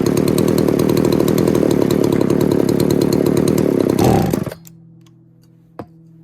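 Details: Poulan 3800 chainsaw, after fixing loose carburetor screws and tuning: idles with an uneven, blubbery burble about four seconds, then dies; sounds like it's loading up at idle; possible air leak elsewhere suspected.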